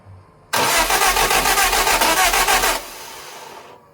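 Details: Lotus Europa Twin Cam with Stromberg carbs and 123 Ignition distributor, valve clearances off: starter spins about two seconds, even pulses near four per second, no firing; ignition timing suspected wrong, possibly distributor 180° off, unconfirmed.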